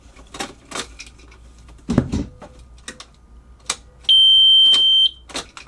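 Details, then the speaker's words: Car with much wiring cut out: a few scattered clicks, then one steady high beep about a second long, no crank. Stock key-on and starter signal lost; owner suspects he cut it out somewhere. "So, pretty sure it's because I cut it out somewhere. Now I need to find a new one. Doesn't look like I was able to figure out that I was actually missing a relay."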